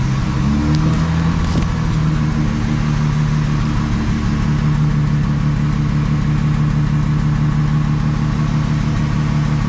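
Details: Jaguar Mk2 3.8 manual, long stored in shed, low on oil, topped up with mixed oil: steady, even low idle with smooth unbroken note, no knocks, misses or rattles; engine sounds healthy.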